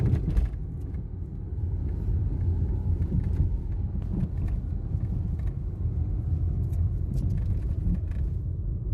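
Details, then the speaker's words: Citroen C3 driven over uneven ground: deep road rumble with scattered sharp knocks from the front end. The owner suspects the stabilizer bar link and the control arm bushing, on the left or both sides; cause not confirmed. "realmente tá uma barulheira é um barulho chato aqui na frente né sente barulho aqui"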